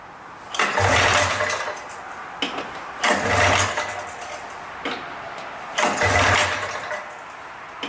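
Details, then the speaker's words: 1979 Kawasaki Drifter 440 snowmobile of unknown history, first start attempt without choke: three recoil pulls about 2.5 s apart, each a brief rasping spin dying away with no firing. Cranks but won't start; kill switch possibly off. "oh in the comments put how many poles do you think it will take to start the engine or is it too late for that"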